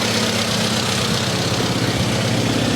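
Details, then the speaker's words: SU carburettor engine at about 1000 rpm idle with the mixture screw turned far out, AFR around 16–17: loud, uneven, slightly hunting idle; runs rough because the idle mixture is too lean. "and now you can see that the mixture is actually very lean it's around 1617. so that's not good and you can actually hear it on the internet it's not running smoothly"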